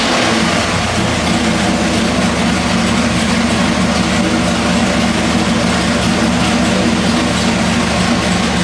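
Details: Pump-gas 406 small-block Chevy with ported Jegs aluminium heads, dyno pull on the ATM carburetor, about 506 hp and 541 lb-ft earlier: loud steady full-throttle V8 roar, even firing, no misfire or stumble; the owner thought it a tad rich and leaned it.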